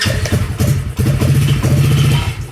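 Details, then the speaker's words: Coleman AT125UT ATV after replacing failed starter (previously single click, no crank): short cranking burst catches into low even single-cylinder chug; normal start, starter was the fault. "hey look at that that's what it was it was the starter"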